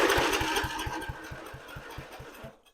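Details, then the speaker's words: A 30-year-old lawn mower, fed mixed fuel and choked, fires in quick, slightly uneven chuffing pulses for about two seconds. They fade as the primed fuel burns off, so it fires briefly and dies. "Alright guys, I found the choke here. So just to show y'all if it runs. Alright, she fires."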